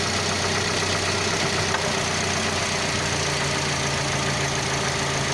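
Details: Lada Largus with 21129 engine, 4,200 km mileage: loud harsh idle with a hard metallic internal knock at a steady rate; oil pressure about 1 atm at idle, rising to about 3 on revving; cause unknown, engine to be disassembled.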